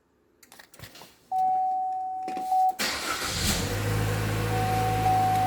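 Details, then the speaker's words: 2016 Chevy Trax right after an iDatalink aftermarket remote start install, started by holding the factory key-fob button until the light flashes: a beep, then a brief crank, quick catch and an even idle; normal remote start. "So let's start it by pushing and holding the key down until the light flashes."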